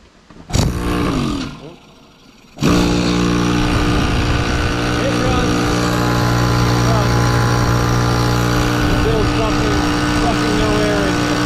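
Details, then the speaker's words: 20+-year-old Craftsman 6 hp 30-gallon air compressor with a scored cylinder and piston: steady motor drone with a light, fast even chuff and no strain, pump turns with zero resistance, runs nonstop and builds no pressure. "so what's going on with it well we plug it in and it just runs and runs and runs and builds no pressure so what's the cause of that well because of that we need to change the piston that's inside the air compressor"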